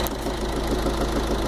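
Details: Fiat 500 Dualogic engine knocking at idle: steady idle with a dull, even knock under the low rumble; mechanic suggested connecting-rod bearing (bronzina) and water pump, not confirmed.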